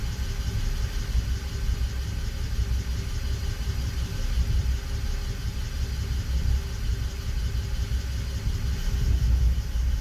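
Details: BMW 325i E92 on a cold start, checked with INPA: low, uneven idle rumble with a loping, stumbling beat and no smooth rhythm. Misfire and rough idle at cold idle.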